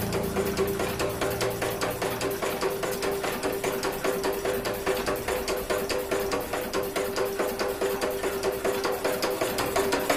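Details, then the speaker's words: Single-cylinder China diesel engine removed from a water pump: sharp regular metallic knocks about twice a second over a thin running note, like iron striking iron inside; cause suspected, crank turned by hand shows no such noise. "আর মনে হচ্ছে যেন ইঞ্জিনের কোথাও যেন আঘাত লাগছে লোহায় লোহায় আঘাত খেলে যেমন হয় সেরকম যেন আঘাত লাগছে"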